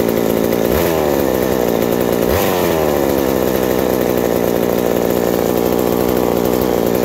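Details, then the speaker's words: Reassembled McCulloch 790 MC101 two-stroke chainsaw with an ignition chip and a Walbro WB37 carburetor on a homemade adapter: steady, even high buzz with clean throttle blips and no stumbling; runs very nicely and sounds healthy. "it uh very surprisingly it runs very nice with that walbro wb37 uh carburetor and the adapter i put i made for it and it just it's it's fantastic it loves every moment of it"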